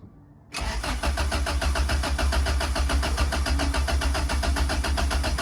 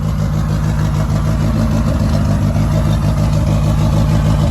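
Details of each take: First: Turbo B20 in a 1995 Honda Civic, first turbo start attempt after priming: starter churns steadily at three to four pulses a second for five seconds but never catches; crank no start, second attempt then started. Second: 1995 Honda Civic with turbo B20 swap, first boosted startup, warming up: even steady low idle with smooth pulse and turbo spooling, no knocks or rattles; running normally, no oil leaks.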